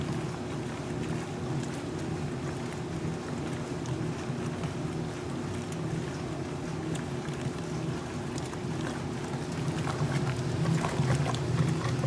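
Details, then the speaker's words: 1978 Maytag A408S (three towels) and 1989 A482 (two pairs of pants), Regular 8-minute Warm/Cold wash: low steady motor drone under a smooth back-and-forth swish, no knocking or grinding; normal agitation, loads rolling over. "the towels definitely roll over better there's two three of them in here and they're a little bit thinner so they're able to move around a little more freely at the small W load level than the pants but the pants are still getting scrubbed nicely"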